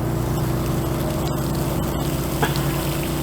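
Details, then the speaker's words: RV being winterized: a steady low electric hum with fine even pulsing runs unbroken as the water pump keeps running while antifreeze is pushed through, because a valve was not shut off; pump running continuously. "hear the pump running, so you didn't get that valve off either."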